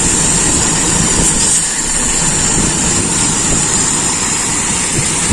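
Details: Toyota Kijang 5K carbureted engine, original carburetor, tested with PCV hose plugged, air filter off: steady even idle with no misses or hunting; idles smoothly, ignition timing may need adjusting.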